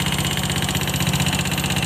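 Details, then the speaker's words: Honda Scoopy FI scooter idling with the CVT roller housing removed: a harsh, clattery top-end rattle persists, so the noise comes from the engine, not the CVT. It is consistent with loose valve clearance and low oil; excessive valve clearance. "Berarti bunyi kasarnya itu bukan dari bagian CVT-nya ya, melainkan dari bagian mesin. Berarti ini motor harus bongkar bagian blok mesinnya ya, seperti blok seher kita cek dan bagian headnya kita cek."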